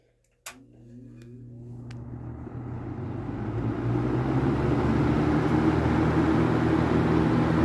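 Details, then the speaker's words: Late-1970s first-generation Kmart (Lakewood) K-223 20" box fan with a McMillan motor, started on high: soft click, then a smooth whir and hum climbing steadily in pitch and volume as the motor spins up; normal startup. "so I'm going to start it up on high and it has a really really cool startup sound so hopefully you can hear"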